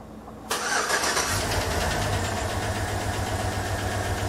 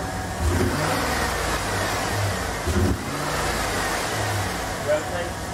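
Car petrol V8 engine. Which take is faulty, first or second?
first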